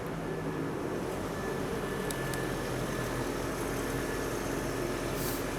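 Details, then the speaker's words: 1997 Nissan pickup after battery-light diagnostics and repair, idling: steady even hum with no belt squeal or chirp, charging at about 14.5 V; normal idle. "we don't have any belt squeal and it sounds like it might be charging"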